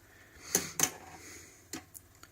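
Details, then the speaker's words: HMV 102 portable gramophone, mark I early auto-brake turned by hand crank. Light, uneven mechanical clicks as the hard cam revolves and the anchor moves back and forth; auto-brake works normally. "Okay, so now you hear the hard cam revolving and the anchor moving back and forth."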